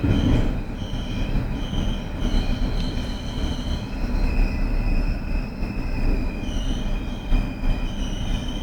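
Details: Abnormal brake squeal on a BR481 Berlin S-Bahn train braking into Flughafen Berlin-Schönefeld, the last stop: two shrill high tones waver and swell over heavy rumble; sound typical of old regional trains, not S-Bahn; cause unclear.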